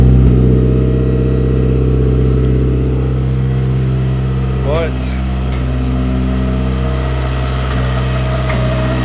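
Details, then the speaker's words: Turbo Suzuki Swift GTi on first startup, idle unstable and held around 2000 rpm, plugs black: rough idle with an occasional sharp knock over the exhaust drone; owner suspects fuel knock, timing wandering, cause unconfirmed. "you can hear every so often there's a pretty good uh detonation of some kind i don't i think it's a fuel knock"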